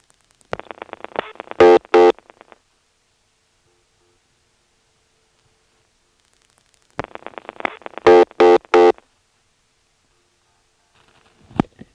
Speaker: so here's a demonstration of dialing zero three times speeding up and slowing down the dial as necessary to get one two and three beeps